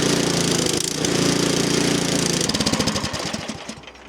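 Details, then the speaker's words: 13-year-old MTD Yard Machine snow blower with Powermore 208cc engine and a carburetor replaced last year, at half throttle: rough note swells and dips, governor hunting; foul exhaust smell, fuel in the crankcase suspected. "So, she's running, but I have no idea. She's still searching."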